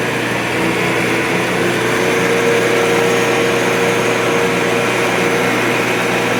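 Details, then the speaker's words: Restored 1961 Shopsmith Mark 5 "Goldie" combination woodworking machine, after more than a year of use, with a smooth, even hum and steady mid-pitched drone, no knocks or rubbing. Owner calls it an excellent runner as long as it isn't run too fast. Normal running. "There you go. I think it's an excellent runner right now, as long as I don't run it too fast and"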